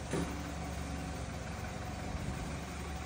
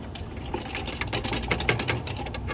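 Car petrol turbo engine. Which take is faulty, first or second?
second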